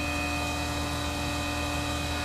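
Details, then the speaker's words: Tormach 1100MX CNC mill face-milling a finishing pass after tramming a Shars CNC vise: steady high spindle whine with a light even cutter hiss, no chatter; normal cut. "okay we finally finally got it right just gonna draw our little pencil drawing over whoops wrong way up back over oh yeah you can hear it cutting"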